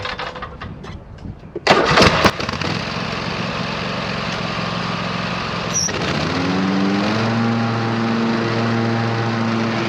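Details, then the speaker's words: 26 HP Kohler V-twin lawn tractor after two new ignition coils were fitted. It cranks, catches and climbs to a high drone with an uneven, ragged note, still sputtering at full throttle and not smooth at high RPM. Cause not yet confirmed. "so I'm really not satisfied yet with how this thing is running it's not smooth enough at high RPM it's it's still sputtering at Full Throttle"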